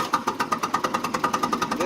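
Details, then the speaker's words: Mitsubishi GCS25S engine with very low power, cranking: uneven, lumpy beat of about eight pulses a second with some strokes weaker than others; low compression suspected in cylinders two and three. "okay that sound right now that you're hearing is the engine cranking over but it sounds uneven"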